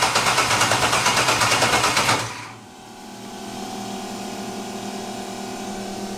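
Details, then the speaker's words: LS-swapped budget Mustang drag car, first start attempt after loading tune: even starter cranking about eight compression pulses a second for two seconds, never catches; spark plug wire check shows no spark, likely no power to the coils. "so we have no spark right now which means we probably don't have power to the coils"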